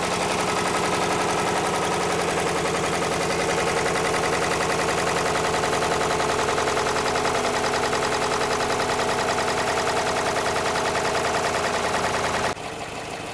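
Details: 2013 Jeep Grand Cherokee 5.7 V8, about 160,000 miles, idling after topping up a quart low on oil: steady idle with fast even ticking, a few taps per second, not sounding healthy; top end clatter.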